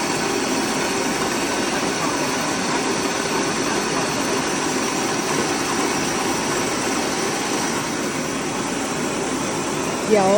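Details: Sam Yod rice mill after replacing the broken motor-pulley bearing and fitting a No. 3 flange, test run: even continuous whirring rush, steady pitch, no grinding or knocking; mill runs normally.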